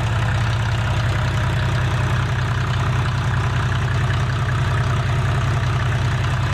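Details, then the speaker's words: A 1987 Mercedes 300SD W126 turbo diesel (OM617 per title, called OM603 when started) with 264,000 miles, just jump-started, holds a steady low idle with an even clickety-clack over the rumble and no misses. This is a normal diesel idle. "walk outside here bulletproof motor there sounds like an old mercedes diesel clickety-clad clickety-clack you can't kill it there we"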